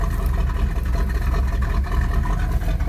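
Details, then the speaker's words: 1977 Pontiac Trans Am V8, all factory, first start after sitting since 2005: uneven loping idle with irregular stumble, idling on its own but not firing on all eight; owner suspects a lifter tick, may smooth out with idling. "she's clearing up she's idling on her own yeah I heard it it's not firing on all eight"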